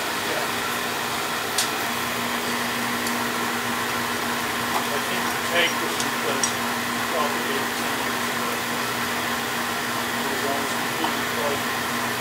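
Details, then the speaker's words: Beckett oil burner on a steel boiler, fired up during annual service with new tank filter and nozzle: steady even roar over constant hum, few light ticks; draft good, no rollout, firing cleanly. "let's see how it fires up what's up my drafts good tell the draft's good because we're not getting roll out"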